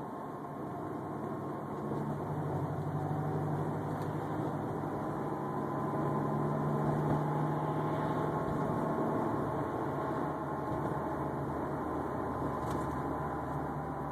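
A steady whine with a low hum under it runs evenly over a running engine; the whine's source is unknown.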